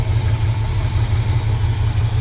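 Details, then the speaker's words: 1970 Chevy C30 V8 with rebuilt Rochester Quadrajet carburetor and new fuel pump, warming up: deep, even V8 burble at steady idle with no stumbles, knocks or ticks; normal idle. "it's alive got the new fuel pump in we were a little concerned it wasn't right but it just keeps running and running"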